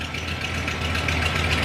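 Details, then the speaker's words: Camper V8 on its first start in months after an exhaust manifold job: steady soft, quiet idle with no exhaust leak ticking, now sounding wimpy. "there's no exhaust leak now now it sounds wimpy yeah i'm gonna have to change that"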